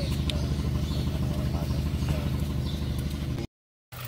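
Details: Mazda 3 overheated one week after an overhaul, mixing oil and coolant, with wrong camshaft timing: cold heavy lumpy idle with smoke, uneven thump about three times a second and engine shaking like a Kubota; misfire.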